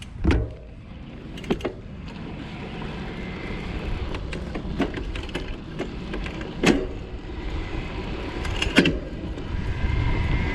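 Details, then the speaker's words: Specialized Turbo Como 5.0 e-bike, Brose mid-drive motor of about 90 Nm, 11-speed Shimano Deore derailleur, no software shift detection: shifting while easing off the pedals gives light, muted clicks over wind and tyre rush, with no hard popping. "So this time I'm going to shift without relieving the pedals a little bit. No bueno, right? Like, you can really hear it popping. And you know, it's tough stuff, but it's going to be a little bit better if you can just ease into it like this."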